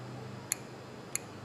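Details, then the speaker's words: 2001 Nissan Frontier with ABS and service engine soon lights and a P0456 code: the EVAP canister vent valve circuit gives three sharp sparking snaps about 0.6 s apart over a quiet background; it is dead shorted to ground. "Yeah, so that sparks. That sucker is dead shorted."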